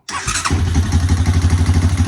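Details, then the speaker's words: 2003 Honda Recon 250 ATV, sat unrun for years, started after CDI box and switch wiring work (choke sticking, nearly out of fuel): cranks briefly, catches at once, settles into quick even single-cylinder thump; normal start and idle. "freaking runs it's running on two cycles because i wanted to lose the top end but uh yeah it freaking runs"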